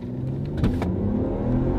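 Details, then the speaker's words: Volvo AWD station wagon with a twin-turbo, 300 hp engine, at full-throttle acceleration on the road: it pulls hard with a smooth, rising drone, shifts smoothly and has no knocks or rattles. Healthy. "it gets up and goes shifts like a dream this baby's got power there's no arguing that those twin turbos man they kick in"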